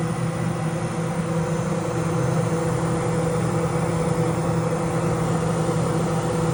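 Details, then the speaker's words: Vintage thrift-store Kenmore 48-pint dehumidifier (R22 refrigerant) turned up to high fan; it shakes a little. Steady low hum, mid-pitch drone and slight rattle: vibration on high fan. It was later junked after sparking was found in the wiring/switches. "kind of shakes a little bit"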